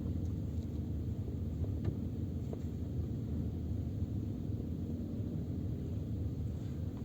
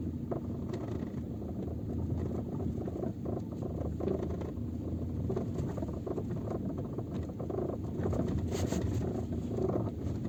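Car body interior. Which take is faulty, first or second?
second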